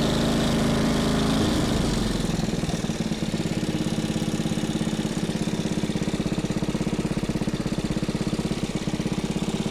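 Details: Small single-cylinder engine salvaged from a junk go-kart, running after carburetor cleaning and a point-gap adjustment: a brief rev settles into a quick, even putter of about three beats a second. The engine runs cleanly and healthy.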